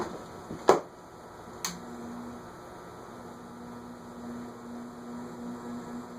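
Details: Envirofan Gold Line 160F-7 industrial ceiling fan (c.2013) on a solid-state speed control: two switch clicks, then a steady low electrical hum, louder than the previous fan but a normal amount of solid-state hum.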